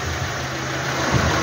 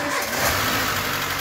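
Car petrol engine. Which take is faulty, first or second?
second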